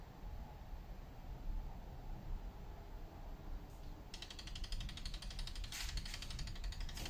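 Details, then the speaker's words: 2004 VW Golf Mk4 R32 turbo with an Emerald K6 Plus ECU, external wastegate and 3-port boost solenoid, test pulsing at 10% duty to the top of the valve: a rapid, even clicking buzz as the solenoid cycles normally. "That's 10% to the top of the valve and 90% to the exhaust. So as you can see, this one is much stronger than that one."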